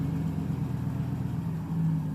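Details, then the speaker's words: 2010 Chevy Silverado with P2135 and reduced engine power, after throttle body cleaning, TPS replacement and relearn: even, low hum held at raised steady speed; idle stays high, unusual, performance code still showing. "So far it's running fine. Just gonna let it run for a little bit. That's interesting. It doesn't usually stay revved up like that."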